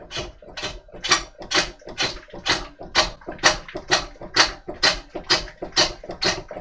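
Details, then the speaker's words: Woodturning lathe with a large, heavy, out-of-balance freshly cut walnut log on a faceplate: heavy clunk about twice a second, once per turn, as the No. 10 faceplate screws ragged out of the wood and the work knocks loose. "as you can probably hear there's beginning to be a pretty nasty clunking knocking noise"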